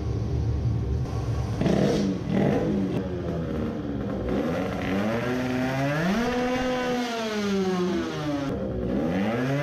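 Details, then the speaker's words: Two-stroke moped, new racing carburettor now with 105 main jet: screams through the revs but pitch wavers and stumbles at the top; still sputtering, jet still too big, but sounds more promising. "now it sounded promising. it was still sputtering. it is still too big but now it was screaming"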